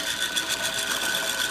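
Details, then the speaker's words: Chicago Electric dual-drum rotary rock tumbler with a rock canister removed: a steady high-pitched whir with fast rhythmic chatter. Most of the loud noise comes from the motor and drive mechanism, not the canister. "as you can see a lot of the sound is from the motor and the mechanism not so much the rock canister"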